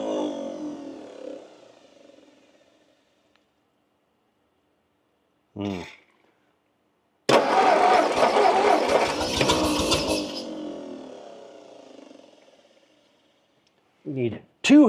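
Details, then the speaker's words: 1958 Ford Fairlane auction car, long unrun, on poor fuel: a few short cranking bursts, then about five seconds of uneven, lumpy running that fades out; a valve is suspected, not the rings. "well we know it we know it fires it sort of runs I don't know I haven't run very long"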